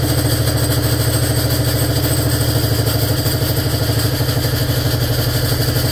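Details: 1947 BMW R35 motorcycle started after sitting for years: single-cylinder idle with a healthy thump under a loose, uneven clatter that seems to come from the gearbox; gearbox rattle at idle, cause unknown.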